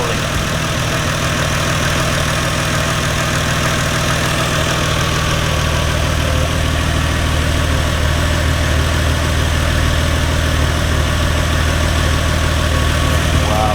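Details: Lexus GS300 with 2JZ-GTE VVTi turbo, after fitting a new Gates Fleetrunner serpentine belt: a deep, steady, even idle with no squeal or chirp; the belt drive sounds healthy.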